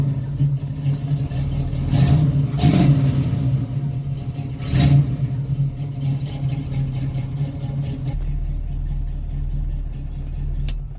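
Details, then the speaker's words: 1968 Chevrolet Camaro V8 with two separate exhaust lines, idling at 600 rpm: deep burble with two quick clean blips climbing and dropping back smoothly to a steady idle; revs freely and responds well. "Je crois qu'il n'y a quand même pas mieux que le bruit d'un V8 au ralenti. Et il tourne à merveille. 600 tours minute au ralenti, impeccable. Et ça répond quand même très bien."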